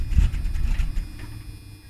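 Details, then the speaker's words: 1980s Ford Mustang (1981 or 1986) with carburetor, started cold: low rumble sags and fades unevenly over two seconds as throttle is released, engine stalls at idle; owner suspects the carburetor. "stalls out and then when i try to start it back up again"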